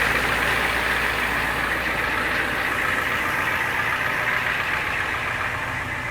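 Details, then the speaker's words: 1991 Ford Econoline 350 camper van, 7.3 IDI diesel, naturally aspirated, unmodified, 90k original miles, cold start after re-cycling the glow plugs with a little throttle: a steady, even diesel idle with soft clatter and no misses or knocks; healthy. "There it goes. The famous 7.3 IDI, naturally aspirated, no modifications. Sounds great."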